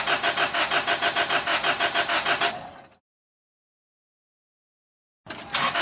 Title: Car Won't Start - Cranking No Start Engine Problems